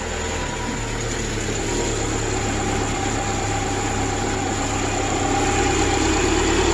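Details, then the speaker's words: 2010 Subaru replacement engine idling after install, coolant 53 degrees, idle a little high, battery low: slightly uneven pulse and shake under steady drone, running rough with a little smoke and smell being burned off; no check engine light, nothing leaking. "oh running rough there a little smoke I guess from uh stinks whatever that is no check engine light flashing or nothing"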